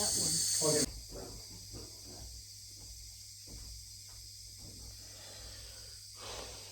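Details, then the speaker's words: Gravity-fed central heating radiator, airlocked after a valve replacement: sharp hiss of air from the bleed valve for under a second, then dropping away before water comes. "Well, it's not bleeding too bad for gravity fed. Seems to be running pretty well."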